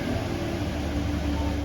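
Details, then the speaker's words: 2005-2014 Ford Mustang started after a battery change and a factory alarm reset that had blocked starting: short, steady low rumble with an even hum and no misses or knocks; normal idle. "Now that we have our car started and everything's fixed, I'm just going to tighten this back up."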